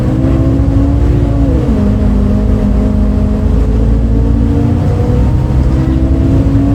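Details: Recorded 07-03-2022 aboard 2008 MAN Lion's City A37 bus 3477 (MAN D0836 LOH 63 diesel, ZF Ecomat 6HP automatic) on line 8 Eindhoven. A loud diesel drone with a humming note that drops at a gearshift and climbs again; unusual engine sound, cause unknown.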